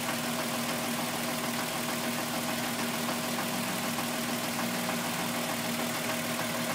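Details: Timing chain rattle at idle on a VW Golf VR6 2.9, 103,000 km: fast, uneven metallic rustling over the engine, like a rubbing chain; the noise grew louder after the owner replaced the upper hydraulic chain tensioner. Cause suspected, not confirmed.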